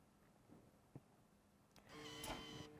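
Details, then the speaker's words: 360 DASH liquid application system during flow calibration with water, hose into a pitcher: soft click, then small pump whirs up to a steady hum with faint whine as the pump starts and valve opens, low flow rate first; normal. "You can hear the pump kick on and the valve open. And it's going to dispense water into the pitcher at 2 different flow rates."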